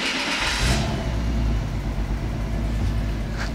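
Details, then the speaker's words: Engine of a long-sitting project car (dead battery, ant colony inside, head gasket condition unknown), started on a jump pack: cranks briefly, catches and settles into a steady, even low rumble with no knocks or misses; sounds much better than expected, normal running. "all right i'm gonna go ahead and start off that sounds way better than i thought"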